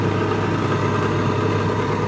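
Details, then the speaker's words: Microkinetics milling machine spindle fitted with a brand-new Marathon motor, running smooth as silk: steady, even hum with a constant low tone and no knocks, rubbing or surging; normal running. "so we'll see that turn and we're going to go porn and it's smooth as silk one reason for that is that he put a brand-new motor on here"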